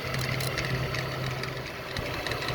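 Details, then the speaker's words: 2010 Ford BF Falcon wagon at idle with a leaking water pump. Mystery belt-drive noise, checked with a screwdriver against the idler pulley. Even idle with a faint steady whir. Owner suspects idler or tensioner pulley bearing. Idler pulley bearing noise. "So one way to find out if it's which one it is you can put a screwdriver up against it and listen to the noise coming out of the bearing."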